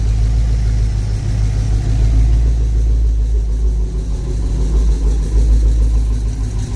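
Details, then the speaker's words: Colorado truck with V8 swap, cammed, startup with exhaust installed: deep loping idle with a loose, uneven rattle underneath from an exhaust V-band clamp not fully seated; minor exhaust leaks. "So yeah, you can hear the clanging of the V-band down there that's not fully seated. That's that noise right here."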